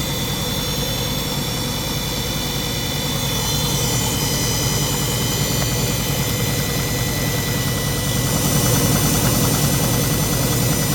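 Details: Front-loader washing machine with top and back covers removed, motor, belt and drum visible; even motor whir climbing slightly as the drum reaches speed, no knocks or scraping; normal spin cycle.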